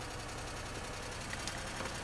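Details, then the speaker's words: Pontiac Grand Am idling during removal of an aftermarket remote start/alarm: fast, even ticking over steady idle, keeping pace with engine speed; runs once a loose yellow wire makes contact, tick source unknown. "hey guys i got it you can hear the awful tick it's running"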